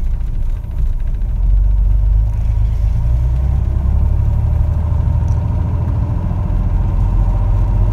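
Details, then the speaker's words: 1961 Corvair Lakewood air-cooled engine after FAST XR 700 optical-trigger electronic ignition install fixing a no-spark issue: starts fine, idles okay in park, smooth steady rumble cruising with no surging or sputtering; normal running. "well i think that sounds good starts fine idle's okay in park and as i'm cruising there's no surging or sputtering it's all nice and smooth"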